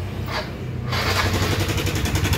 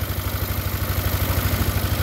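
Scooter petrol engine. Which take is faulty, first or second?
first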